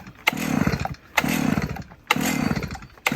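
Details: Old chainsaw with about 20-year-old spark plug, choke up: four pull-cord strokes about a second apart, each a short rattling spin dying without firing; hard starting, suspected old plug and stale fuel, not confirmed.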